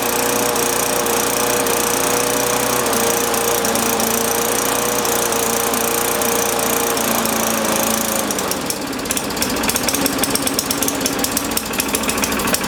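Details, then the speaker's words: MTD Yard Machines push mower engine with blade removed, started on first pull, cracked primer bulb, carburettor bowl full of oil and junk: hunts and surges unevenly, turning ragged and rattly; suspected governor tension too high and dirty carburettor. "primer bulb's not good it's got a crack in it but um sounds like it's got a little too much tension on that governor sounds like it's trying to over rev"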